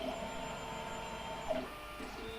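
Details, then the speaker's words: BCN3D Sigma R16 dual-extruder 3D printer during full calibration, a sensor on each extruder probing the build plate: two sharp clicks about 1.5 seconds apart over a quiet motor hum; normal bed-leveling probe clicks. "So it actually calibrates the build plate. It has a sensor on each extruder. I hope you can hear it, but it's clicking."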